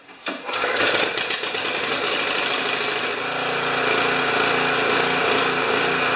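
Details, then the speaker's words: Honda HS720 snow thrower engine after two carburetor cleanings, on-machine and ultrasonic, and main jet remounted: catches quickly and runs steady and even with only a slight surge, no backfire any more; likes to choke. "it's got a little surch just like 99% of pressure washers and little blowers and but it runs and it doesn't backfire anymore likes to choke"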